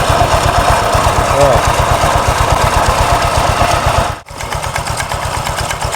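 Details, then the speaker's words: Honda Vario 125 after fixing the rattle, original part kept: steady, even idle putter with the tok-tok knock completely gone; normal idle. "oke teman-teman di sini suaranya 100% hilang suara toktok toktoknya sat langsam tuh oke suaranya sudah hilang"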